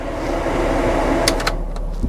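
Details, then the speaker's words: 1997 VW Eurovan Camper, unusually low mileage: rear heater blower running with a steady airy fan whir, no rattle, scrape or squeal, then a few clicks; AC blows cold and the blend door works; normal blower operation. "AC still blows nice it still blows cold the blend door works so that's all good"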